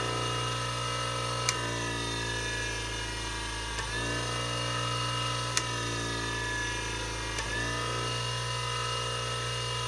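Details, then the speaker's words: Old Wolf bench grinder after switch repair: steady even motor hum with a few faint ticks, no grinding or wobble; owner unsure whether a noise is a bearing; runs smoothly. "i don't know if that noise is a bearing but i don't hear any grinding"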